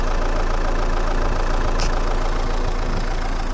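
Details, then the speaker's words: Renault Megane 2 1.9 dCi after repair of a no-start (rail pressure only 2–4 bar; broken-shaft high-pressure pump, timing belt, tensioner replaced): starts easily, no smoke, steady four-pulse-per-second idle, no misfire, knock or hunting; normal diesel idle. "merge Ok motorul nu scoate fum porneste usor cum asta a fost tot"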